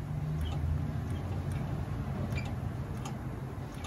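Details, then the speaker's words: Jaguar F-Type with active exhaust at low speed, low rpm: faint irregular high chirps over low rumble from dry exhaust valve pivot pins, often mistaken for suspension; fixed by greasing pins. "So if you have a Jaguar with active exhaust, it's really common to have a low speed, low RPM squeak, and it'll sound kind of like that."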